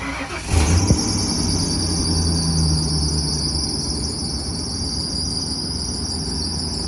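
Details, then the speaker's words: Revived OBS work truck settling to steady idle before a test drive: thin continuous high squeal over the engine; slightly slipping squeaky serpentine belt. "got a little squeaky belt but should be all right"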